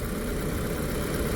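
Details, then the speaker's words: 2007 VW Passat Wagon, 2.0T engine, 116,000 miles, warm idle: smooth, steady, even low hum with no misses, knocks or ticks; engine running normally. "I mean this thing just runs good sweet little car man"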